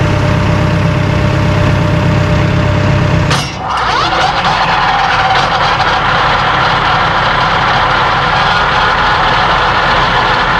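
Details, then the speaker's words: Massey Ferguson DM164 disc mower on a 2850M tractor, PTO at 540 rpm (about 2400 engine rpm), heard with back panel open: loud, steady roar and even whirr of spinning discs, no knocks or rattles. Normal running. "you can hear it running if it sounds like a 747 taking off it's right"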